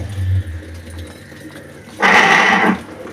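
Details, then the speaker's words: Electrolux washing machine starting a cycle: a low motor hum gives way to a loud harsh grinding burst as it agitates, also loud during spin the day before; owner suspects the mechanism; worn transmission bearing. "provavelmente deve ser ali no mecanismo dela deve ter zoado ali quando ela tava centrifugando ela tava fazendo barulhão também na hora da centrifugação ontem"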